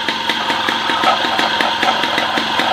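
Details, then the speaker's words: MBK 51 Hard Rock two-stroke moped's first start after reassembly, with the exhaust fitted: an even, clean idle. The light buzzing rattle is a vibrating toolbox, not the engine. "Alors, on entend le bruit, en fait, le bruit, c'est la boîte à outils, là, qui vibre."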